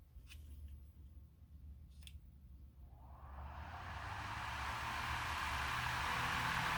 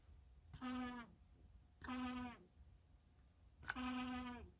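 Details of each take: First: Lasko fan after balancing the blades, following failed lubrication and new parts: it winds up from quiet into a steady, even whoosh with no wobble, thump or rattle; now runs smooth and balanced. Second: Used Lasko fan: three short high-pitched squeals about a second apart, each sagging in pitch as it fades, over quiet background; likely dry, sticking motor shaft bushing.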